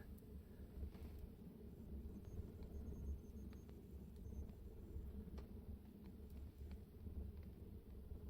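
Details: Wood burner stove that had been down drafting and leaking smoke: a steady, deep, even roar like an Apache with no puffing or surging. Drawing hard and burning well.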